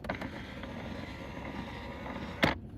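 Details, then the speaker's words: 2023 Gen 3 Ford Raptor R, about 20k miles, electric fold-down shifter with engine off: small motor whirs a couple of seconds with gritty rattle, like marbles or a gear inside; cause unknown. "It sounds like there's something crunching in there. It really sounds disturbing. Some kind of gear is turning."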